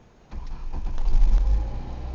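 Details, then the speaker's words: 1993 Ford Escort LX 1.9L four-cylinder, 5-speed manual, cold start: quick crank, catches immediately, steady idle; owner says it burns some oil and smokes mainly at startup, compression high on all cylinders; normal cold start. "sweet starts right up pay $250 for this car"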